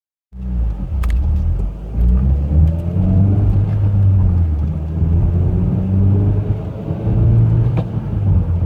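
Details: Mitsubishi Evo X GSR while driving: a heavy, low road rumble with a faint whine underneath that rises and falls with road speed, present for 30k miles; the owner is unsure whether it is the transmission or the transfer case.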